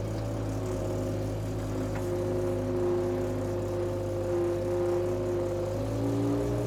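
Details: Power Trac 1850 diesel tractor/mower, just revived after all fluids were changed, running under load with the mower hooked up: a steady diesel drone with an even hum and a faint mower whir, running smooth with no knocks.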